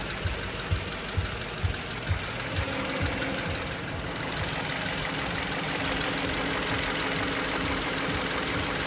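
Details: BMW X5 after a timing job: light, fast ticking over a steady idle, keeping pace with engine speed, a top-end tick that appeared after the work. Engine ticking noise.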